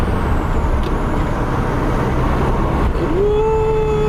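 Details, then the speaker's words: 1990 Nissan 300ZX Twin Turbo on a drive after a PTU replacement for a misfire, now running better: thin squeal over the driving noise rises in pitch then holds a steady piercing note; cause unknown. "oh man is she moving i know y'all can't see nothing i don't know what this high-pitched squealing is"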